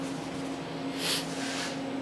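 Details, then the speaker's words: Milltronics VKM4 3-axis CNC mill running a warm-up program with the spindle off. Only a faint steady hum from the table axis drives, with no whine or grinding; normal quiet operation. "the table's running right now still nice and quiet over here on this side of the machine"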